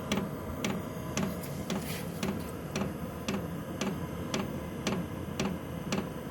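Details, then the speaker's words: Chinese diesel heater turned down to level one: fuel pump gives sharp, even clunking ticks about twice a second, slowed considerably, over a slowed low fan hum; normal operation. "the uh fuel pump which you can hear going clunk clunk clunk that's slowed down considerably and the fan slowed down"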